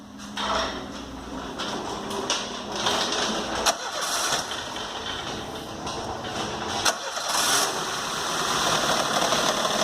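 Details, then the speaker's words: Peugeot 206 just out of body shop after front collision, check engine light on, starts misfiring; cranks, catches, then runs rough with irregular stumbling beat, hose visibly vibrating; noise near belt, suspected alternator: engine misfire. "Aí pessoal o barulho é esse ó tá? A princípio parece ó olha como que a mangueira vibra ó você vê que o motor tá com funcionamento horrível"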